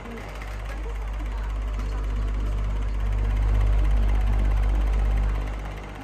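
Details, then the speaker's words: Fan motor with worn bearings, noisy since bought, oiled through drilled holes with only brief improvement: steady low hum with rough gravelly undertone from the motor, not the guard; worn motor bearing. "that noise is not coming from the guard and noise is coming from the motor that's just the bearing sounding like garbage"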